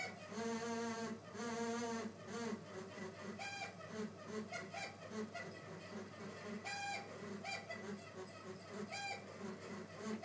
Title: Air conditioner sounds like a dying chicken-monkey-hyena